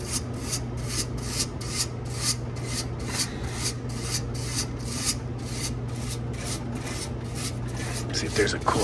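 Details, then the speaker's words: 100-pound ice machine at condenser fan area: steady low hum with dry rubbing squeak about twice a second; technician suspects loose metal wiggling rather than the fan motor, unconfirmed. "I don't think it's the actual fan motor I think it's something in the metal over here wiggling wiggle waggle maybe"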